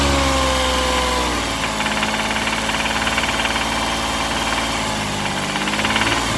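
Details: Rough, uneven knocking rattle at idle on a Toyota engine that quickens and hardens as it is revved; suspected rod knock, not confirmed.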